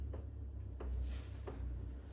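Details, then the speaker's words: HCALORY 8kW all-in-one toolbox diesel air heater filled with diesel, during startup before warm air arrives: sharp, even ticks about every two-thirds of a second over a low fan hum, the fuel dosing pump clicking normally. "So that's the fuel pump. You can hear that little"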